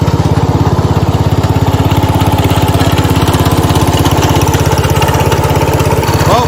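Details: 1970 Cub Cadet 127 garden tractor single-cylinder engine, restarted, steady even putter with constant beat, no skips or knocks; normal smooth healthy idle, runs pretty good.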